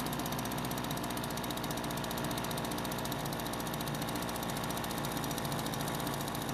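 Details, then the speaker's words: Kawasaki-branded leaf blower two-stroke, spring start-up after storage: steady high buzzy drone at even speed with no stumbles or knocks; running normally. "and fortunately the leafblower worked just like they're supposed to"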